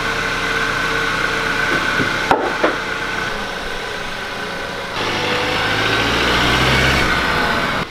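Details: 2002 Acura RSX test drive after replacing broken transmission/engine mount that caused thudding from driver's front wheel area when pulling forward: steady engine and road noise, no thud or clunk on load changes; fixed.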